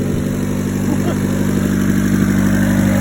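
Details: Turbo Civic coupe after new exhaust downpipe gasket and O2 sensor refitted: steady, even idle with low smooth exhaust note, no puffing or ticking at front; downpipe joint sealed, exhaust now exits rear.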